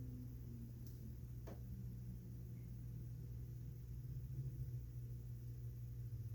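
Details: Amana 95 IIQ two-stage variable-speed gas furnace, continuous fan mode: soft steady low hum with constant airflow hiss, no rubbing or rattling; blower running normally.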